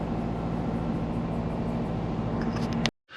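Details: Compound turbo Subaru Forester, parked: steady raised idle around 1500-1600 RPM with faint hiss, then cuts off; owner suspects a vacuum leak or intercooler issue, also not hitting boost targets.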